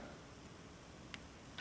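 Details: 7.3 Powerstroke glow plug relay, opened up and powered from about 11.1 V of batteries: quiet background, then two crisp ticks about half a second apart as the relay contacts snap over cleanly when the coil is energized.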